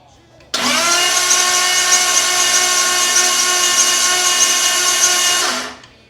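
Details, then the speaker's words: 1932 Ford Roadster with freshly swapped 335hp supercharged Ardun flathead, fuel pump fuse pulled, cranked to build oil pressure: steady even starter whine for five seconds, no firing; gauge reads about 40 psi, normal cranking with ignition off. "so the fuel pump's not going to be running crank this thing over and wait for some oil to pressure up"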